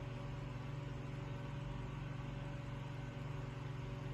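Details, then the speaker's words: Room Essentials Velocity desk fan F-0411, dated March 2011, single speed: a steady, even low hum with a smooth motor tone and no vibration, rattle or wobble. Running normally. "makes a typical fan noise but no like vibration or anything it's not particularly noisy pretty good breeze coming off of it for what it is"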